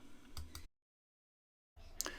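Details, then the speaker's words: SPID MD-02 rotator controller on firmware V2.0.166, rotator driven manually by holding the front-panel button: sharp relay clicks over a faint motor hum, the relays dropping out while the rotator keeps running, suspected firmware bug. "you can hear the realize clicking in when it starts and clicking in when it stops and one would think they wouldn't click while it's actually running"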